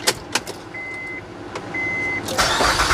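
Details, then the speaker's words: 2007 Honda Pilot 3.5L after replacing air intake tube and new Honda air filter, engine cover off: a few clicks and a chime, then engine catches promptly and settles into smooth even run; normal start. "All right, fired up, sounds good."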